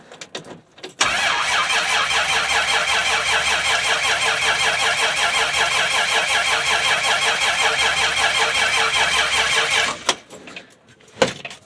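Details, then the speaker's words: 1965 Dodge Dart, 225 cid Slant Six, cold start, fresh gas after sitting, choke wide open; nine seconds of steady brisk cranking that never catches. "The carbon electrode there that sticks out of the bottom for the to make contact with the rotor was completely disintegrated. And this is a brand new cap."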